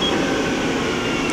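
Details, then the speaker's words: 2008 Mori Seiki SL-403CMC CNC turning center with live milling, spindle at 950 rpm of its 1500 rpm maximum: smooth, steady hum with no knocks, rattles or grinding, a normal, healthy spindle. "that's 800 rpm the max speed on this is 1500"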